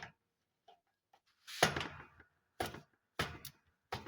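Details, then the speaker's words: Comfort Zone space heater whose switch works intermittently: irregular scratchy clicks, about one every half second to second, as the internal thermostat/limit switch struggles to make contact. Owner concludes the thermostat switch needs replacing. "I can hear it trying to make a connection inside there so definitely needs a new temperature sensor thermostat"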